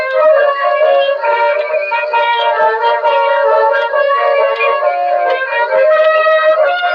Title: here is what a defective Edison reproducer sounds like